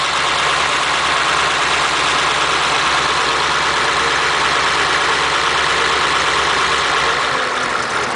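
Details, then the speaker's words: Flathead V8, French block with 4in stroke crank, bored 3-5/16 (about 276 cubic inches), twin carbs, in a Model A roadster on '32 rails, after about 18 months parked: steady, even idle with smooth low beat, no knocks or misses. "it's amazing is it how it runs nicely after been parked like"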